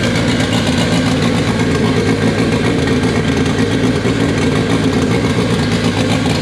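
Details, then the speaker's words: K24-swapped AWD Acura Integra on a FuelTech FT600 ECU, first start: loud, steady idle with an even exhaust note and no misses or knocks; running cleanly, though fuel tuning is still needed. "it officially runs on fuel tech after what seemed to be like two days of just settings and doing weird things to get it to run but uh yeah that was awesome sounds good we need some fuel tuning but that'll be next"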